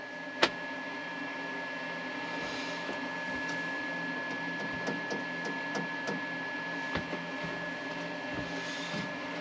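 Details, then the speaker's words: Cabin power cabinet after use: a loud, steady whirring with a thin high tone from the inverter's cooling fan running hard; this is normal. "So, we got to wait before we film the outro cuz the inverter fan is very noisy."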